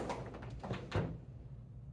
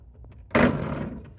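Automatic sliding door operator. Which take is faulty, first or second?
second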